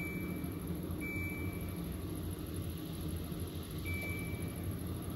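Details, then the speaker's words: HAVA R01 countertop dishwasher loaded with fruit, start pressed with empty water tank: two long high beeps about three seconds apart over a low rumble, red lights showing; no-water warning beeps. "hit start on the dishwasher and it started beeping and then these red lights showed up let me know that I don't have any water so I like that it shows you that there's no water in it"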